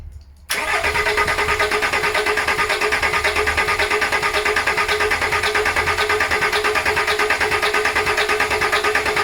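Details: VW LT35 diesel van laid up four years, after new starter motor fitted, ignition on to bleed fuel: steady starter churn about three beats a second, even, with no catch or firing; cranks without starting.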